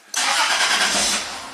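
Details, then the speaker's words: 2002 Toyota 4Runner SR5 4WD, 3.4L 5VZ-FE V6, 175,000 miles, hot-start testing with fuel pressure gauge: engine catches quickly but the rev flare is short and soft, settling at once; should flare more, low fuel pressure, later found leaking down fast. "yeah it it should have more of a flare up"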